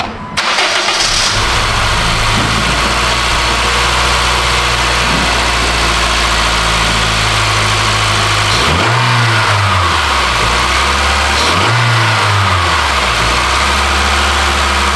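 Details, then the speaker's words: 2009 Honda Fit 1.5 (manual) after repairing spark plug threads where a plug had blown out: catches quickly and settles into a steady, even idle with clean blips, no ticking or puffing, all cylinders firing; easy fix. "all right well that's good I guess that's a easy fix"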